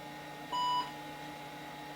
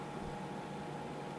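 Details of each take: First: IBM PS/2 Model 80 with 12 MB RAM, revived after its hard drive wouldn't spin up: one short clean POST beep over a steady fan and drive hum; it boots normally. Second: IBM PS/2 Model 80 stored unused for months: only a steady soft fan whir with a faint thin tone, no hard drive spin-up; owner suspects stiction or a loose cable.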